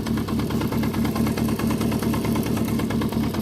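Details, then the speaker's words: 1973 Honda CB350F at warm idle around 1200 rpm, just back running after an 8-year layup and rebuilt carbs: quick, regular metallic clatter at four to five beats a second; owner suspects the primary chain, not the timing chain. "know how much platter is acceptable on these but after watching a video of a guy that's got one of these apart I'm wondering if it's the primary chain not the timing chain"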